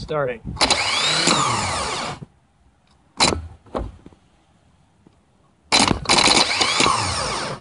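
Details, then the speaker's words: 1989 Jeep Cherokee 4.0L I6 auto, new Remy starter replacing water-submerged one that only clicked; two clean high-pitched whirring bursts winding smoothly up and down, spins freely; normal starter operation. "that's what a starter should do."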